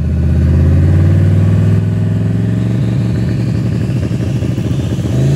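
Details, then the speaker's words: V8 with newly built TH400 and cheap swap-meet torque converter, launching in first on circle track tires: roars hard and flares high after the shift to second without pulling, converter slipping and coming apart. "but it was just blowing through the converter after i got out of first and hit second you'll hear it and after this it just blows through the converter barely pulls"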